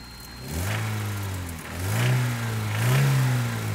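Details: Toyota 22RE in a newly bought 4Runner on 5w30 oil, cold start and revving twice: rough uneven rattle rising with revs; owner suspects timing chain and/or rod knock, not confirmed.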